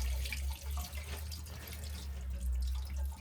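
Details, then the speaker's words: Shallow well system's pressure tank draining during winterizing shutdown with pipes being blown out: steady low gurgle and rush of water running out with faint drips; the tank empties normally. "I can hear the tank draining so now all these pipes should be drained"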